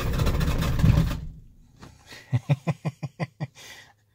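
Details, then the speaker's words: 7.3 Powerstroke OBS diesel truck at about 8°F, sat unplugged a week or more, owner suspects a glow plug or two bad, oil very thick: heavy rough rumble then slow even cranking chuffs that fade without catching; hard cranking, no start. "ain't happy it's not real happy fuel pumps actually still running so there's still oil pressure there"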